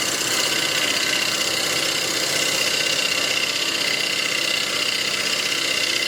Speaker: I'm not quite around yet. You can hear that thumping is because I'm hitting flats. So we're going to take another pass.